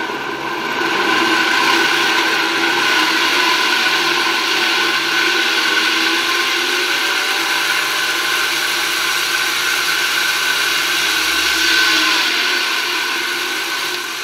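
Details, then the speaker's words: 1966 Alfa II vacuum cleaner with Hungarian Imi motor on a regulator at reduced voltage, low speed: a smooth airy fan whir from the turbine in the housing, which settles and runs much quieter at higher speed; the motor sounds healthy. "na początku jak uruchamia się je na małych obrotach one bardzo słychać ten szum turbiny obracającej gdzieś obudowę natomiast jak już wejdą na wyższe obroty to się wszystko tam dobrze ułoży i one pracują dużo dużo ciszej"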